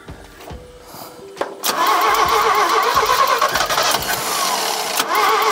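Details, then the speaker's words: 1975 GMC Sierra Grande, 250 ci straight-six, abandoned truck, after timing tweaks: starter churns in slow uneven pulses, engine catches roughly and grabs only while the starter button is held, dies when released; cause undetermined. "it's like as long as I'm pressing the button she'll Spin and start to grab but not strong enough"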